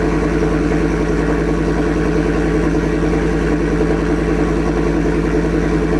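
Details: 2024 Ford F-150 single cab, 5.0 V8, after a Corsa catback exhaust install. A loud, deep, even idle burble with no ticking or puffing from the joints; normal idle, healthy engine, sealed exhaust.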